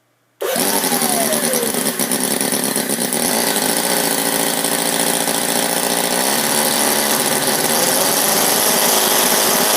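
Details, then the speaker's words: Sterling kit 32cc inline four-cylinder model engine after fitting new bronze valve keepers: starts and settles into fast, even, high-pitched buzz with no misses or knocks, revving over 6,000 rpm, much improved; normal high-rev running. "But as you can see, much improved RPM. We were getting over 6,000."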